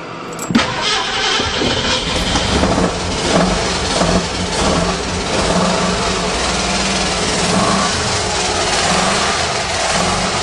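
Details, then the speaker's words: 1935 Mercedes with points-and-condenser ignition, stored seven years, started on a battery taken from another car. Catches and runs rough, uneven and smoky and won't idle, seemingly on four or five cylinders. Engine misfire, cause unclear. "running on all the cylinders that's all gas it sounds like it's only running on about four or five cylinders"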